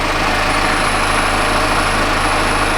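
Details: 2014 Chevy Impala after P0411 secondary air injection repair, engine idling with pump on: steady loud whirring air-pump hum, no surging or rattling; pressure about 1.6–1.73 psi, under 1.9 limit, pump working normally.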